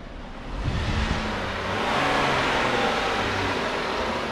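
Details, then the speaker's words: MKX with a P0301 cylinder 1 misfire, after replacing the front part: the engine starts, picks up smoothly and settles into an even hum with no putt-putt stumble, so the misfire is fixed. "try starting it oh that sounds so much better yeah that's the problem your things not doing putt-putt no more"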